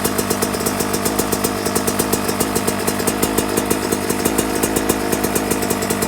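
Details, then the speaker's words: 2024 Yamaha YZ125 two-stroke with jetting changes: 162 main jet, and the pilot jet going from 72 (stock 75) down to 55. Its crackly idle is steady and even with no stumbling, though the owner feels it is slightly high before turning the idle screw down. "so right here you guys I'm listening to my idle to me it sounds like it's a little high"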